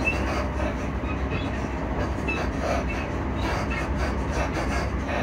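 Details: Class 334 train running gear heard on a ride near Edinburgh Park and Haymarket: rolling rail rumble with irregular clicks and faint squeals over the joints, a noisy suspension ride, cause unknown.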